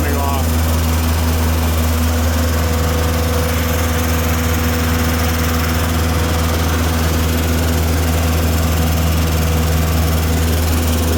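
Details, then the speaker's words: Tennant M20 sweeper, Vortec 1600 engine, first run following a head gasket replacement: a smooth, even hum with a steady low drone and no knocks or misses. It later ran about 40 minutes with the thermostat cycling, coolant steady and no leaks, so the engine is healthy. "B everything looks good listen to her purr beautiful sweet all right well that was running for about 40 minutes"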